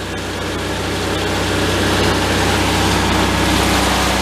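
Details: 1974 VW Thing air-cooled engine running in third gear for about a minute to warm the gearbox before a fluid change: even chugging with steady drivetrain hum, no whine or grinding; manual transaxle sounds normal.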